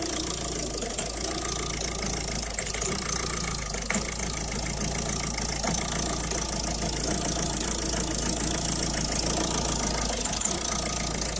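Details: 2011 Citroën Picasso diesel idling after the diesel rail pressure sensor was replaced and the car ran well again; faint, uneven light ticking and whirring over the clatter, the remaining small noise, suspected worn tensioner and idler pulleys.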